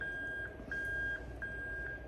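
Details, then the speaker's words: Lexus LS430 3UZ-FE VVT-i engine harness adapted to an IS200, reverse plug bridged for testing; steady mid-high beep about every 0.7 seconds; reverse warning beeper working normally, confirming the terminal crimps. "and you can hear that beeping away there okay"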